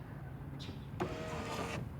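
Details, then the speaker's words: 2006 Ford F150 5.4L 3V 4x4 driver's power window, master switch held up: motor hums evenly under a second, stops after two to three inches with switch still pressed; down works fine; faulty master window switch. "so that's where the customer said that sometimes it just it does roll up two three inches and it stops"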